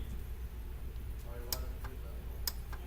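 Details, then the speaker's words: Chevrolet HHR AC compressor magnetic clutch tested by direct battery bypass from underneath: two crisp single clicks about a second apart as the clutch pulls in cleanly; working properly. "I don't know if you can hear it in the video, but it makes a clicking noise, and you can also see the magnetic clutch pop out."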